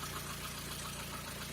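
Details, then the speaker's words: Lada Kalina after an oil pressure warning light; the faulty oil pressure sensor was replaced and oil pressure is now present. Steady low idle with an even pulse and no knocks or rattles after the sensor swap. Oil was changed 1000 km earlier. Normal idle. "Ну вот мотор работает, хуй поймешь как, блядь."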